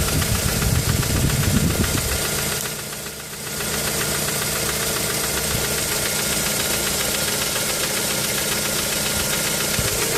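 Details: Mazda 3 idle that dips and stumbles with a light, quick tapping knock about three to four a second; appeared after changing spark plugs, misfire when stationary; cause unclear.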